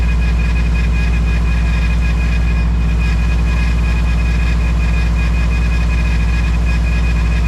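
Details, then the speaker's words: 2012 Subaru STI after replacing the leaking power steering lines: a steady high whine over a smooth idle, the same whine as before the repair; air is still trapped in the system, the wheel wiggles, and bleeding continues. "oh yeah it's wiggling because it's got air in the system so I'm gonna continue to bleed this"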